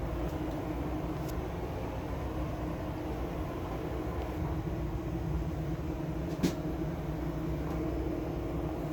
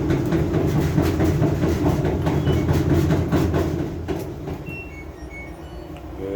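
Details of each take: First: LG front-load washer after replacing bad drum rollers that caused knocking; quiet even low rumble from drum spinning with few light clicks, no knocking, new rollers fine. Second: LG front-load washer with a heavy, rhythmic knocking rumble of about two thumps a second, like driving a rough road.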